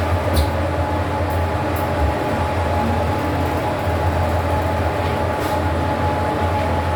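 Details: Fujitec 8-person/540kg passenger lift serving floors 1-11, recorded while travelling: steady low rumble with a thin constant tone and a few sharp high squeaks; abnormal lift running noise.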